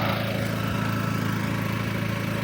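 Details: Onboard RVMP 5500 generator on a Brinkley 3950 Model G RV, just oil-changed and switched from LPG to the onboard gas tanks, running on gasoline: steady even low drone with a quick regular firing pulse, no knocks or misses; ran about 20 minutes fine.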